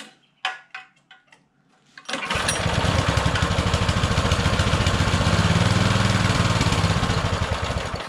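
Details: Cheap auction Baja Motorsports Baja Warrior mini bike, carburetor still uncleaned: a few weak pulls, then starts on choke and holds a fast, steady high idle with a rapid even beat; idle set too high.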